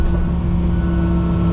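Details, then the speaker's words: Excavator diesel at a machinery auction, running while digging and tracking: steady even drone, no knocks or misses, blade smooth, no engine codes; normal operation. "blades nice and smooth looks like we're tracking around pretty good yeah everything sounds good there"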